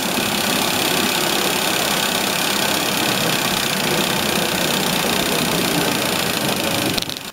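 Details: Inch-scale single-cylinder steam engine driving a gypsy winch head on compressed air, pulling a vice across the shop floor: fast, fairly even chuffing hiss about four beats a second, holding steady while pulling; normal running under load.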